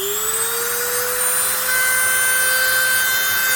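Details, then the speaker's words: Dremel rotary tool after shimming the loose, vibrating motor field symmetrically on each side; steady high whine climbing slightly then holding, no rattling buzz, much quieter than before though not perfect; normal running. "and it won't be perfect but it's certainly is a lot better than it used to be anyway"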